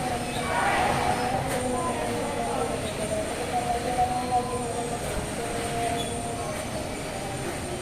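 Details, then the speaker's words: Yamaha Mio GT scooter, complaint of heavy pull and very rough engine noise, MIL code 42 speed sensor: rough gravelly clatter with whining grinding at idle from the middle/CVT side; front CVT drive pulley found destroyed, much metal powder. "suaranya sih hampir kayak di bagian tengah mesin tapi ada suara kayak gesek juga suaranya seperti suara putaran geseknya"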